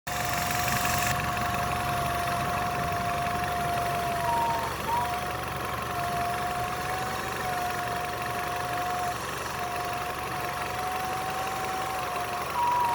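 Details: Nissan Altima engine fully warmed up at idle: thin steady whistle in the upper mids, wavering slightly, caused by a collapsed PCV hose.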